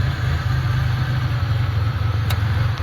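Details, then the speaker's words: Sick Centurion engine after injector cleaning, same suspect fuel: deep, lumpy, uneven idle barely running and losing vacuum, so regulator pressure climbs toward 50 before it dies; injector cleaning did not fix it. "so yeah here the engine it's just barely eming enough to that's why you're losing"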